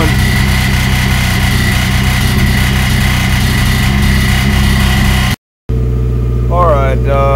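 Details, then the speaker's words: Turbocharged Suzuki Swift GTi on first startup under newly installed MegaSquirt, intercooler water lines not yet hooked up: rough, lumpy, wavering idle that won't stabilize; runs okay around 2000 rpm on air-fuel ratio but dislikes anything lower. "i'm done for the night i can't quite get the uh idle stable like i want to um it's running okay on the uh the layer ratio thought about 2000 rpm right now it doesn't like anything below that"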